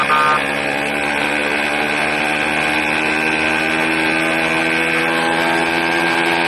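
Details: 80cc two-stroke engine with a loud, high-pitched buzz and a harsh rasp on top, running rough and noisy; owner suspects a carburetor problem with a leak at the intake manifold, not confirmed.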